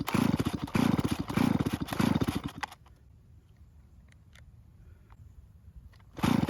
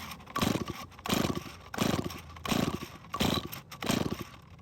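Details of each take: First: Stihl chainsaw that won't start, no purge bulb so early pulls draw fuel from the tank: two runs of rapid cord pulls, engine chugging and never firing; fuel not reaching the carburettor. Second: Stihl chainsaw that won't start, fixed about 3 years earlier, compression tester fitted: six slow heavy rope pulls with stiff compression puffs; reads 170 psi, engine in extremely good health, hard to pull.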